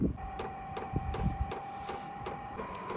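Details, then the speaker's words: VEVOR 5kW diesel heater at startup, powered from a Bluetti power station drawing about 74–98 W, still blowing cool air: sharp regular ticks about three per second, gradually quickening, over a steady fan hum. Normal fuel pump ticking. "as you can hear, it is cranking up a little bit. The pumping is and going faster."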